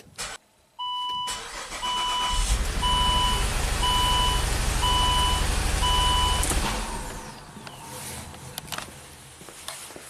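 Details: 2008 Saab V6 turbo with code P0203 for the injector 3 circuit: engine starts, then runs lumpy and uneven on five cylinders under a steady chime. Battery voltage found on the injector 3 control wire points to a failed engine-computer injector driver.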